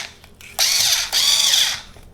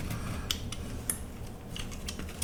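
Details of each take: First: Einhell BT-SD 4.8F electric screwdriver after fixing its noise: two short high-pitched whirs spinning up smoothly, no rattle or grinding; much quieter, stronger and faster, running healthy. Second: Old Einhell BT-SD 4.8F electric screwdriver, motor just oiled: two short bursts of harsh rasping buzz as the motor spins up and stops; noisy gear train, owner suspects two metal parts are making the noise.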